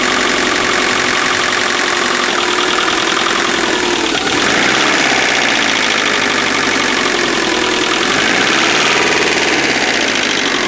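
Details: Subaru EJ25 at idle: a repetitive knock through a noisy, rattly idle that keeps pace with engine speed. Owner unsure whether it is piston slap or rod bearings.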